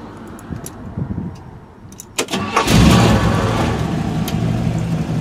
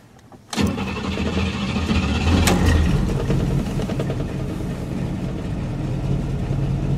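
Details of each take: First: Old V8 car restarted hot in winter (cranks a while when warm, about five seconds when cold): short crank, catches at once and settles into a steady, even idle; normal hot start. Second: Buick with rebuilt carburetor, warm start without touching accelerator: starter cranks about two seconds before firing into a lumpy idle; long cranking when warm, car has an ongoing misfire and sits unused for weeks.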